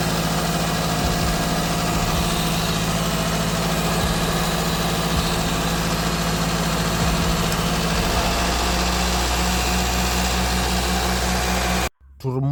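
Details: Wrecked Toyota Corolla whose idle went up and down and which overheated: engine holds a steady, fast idle with an even drone that never settles lower; owner suspects the throttle body sensors, no change so far, cause not yet found.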